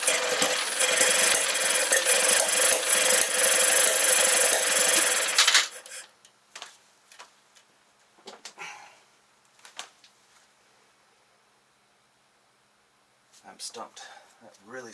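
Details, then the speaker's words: 1968 Kohler 6.5 kW marine genset (6.5A27) under rehab, after tightening over-open carburetor adjustment screws: quick rasping cranking for about five seconds, close to catching but never running, with gas blowing from a bad exhaust gasket. Cranks but won't start; spark plug wires crossed. "like it wants to start and we're blowing a bunch of uh looks like gas out the exhaust port so this gasket is shot"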